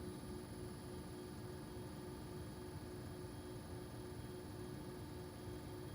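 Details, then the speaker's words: Armstrong Air (Lennox-made) home AC condenser: quiet, steady low hum with a faint even fan whir and no rattles or knocks; running smoothly and healthy. "this is an Armstrong air you know this is also made by linnux listen how quiet that is"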